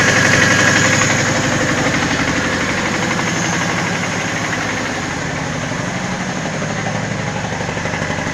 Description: Ваз 2109 1,8 8клапанов 107л.с. Интересный звук мотора после ремонта двигателя